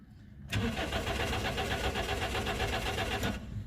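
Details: 2005 Toyota Corolla with an intermittent no-start: steady starter cranking for about three seconds at an even beat around four a second, never fires. Diagnostic codes point to a suspected ignition circuit fault.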